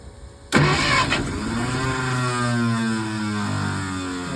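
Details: 1951 Packard straight-eight on 6-volt system, sat 30+ years, spark restored after fixing grounded points wire, compression 90–160, gas shot down the carburetor: sudden whirring crank with a few uneven catches then fading groan; cranks, almost fires, won't run.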